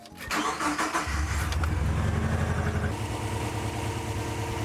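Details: JDM 2000 Subaru Legacy GT-VDC twin-turbo automatic wagon after new alternator, new belt and idler pulley (earlier loose-belt whacking noise): cranks, catches quickly and settles to a steady, even idle with no squeal, chirp or knocking.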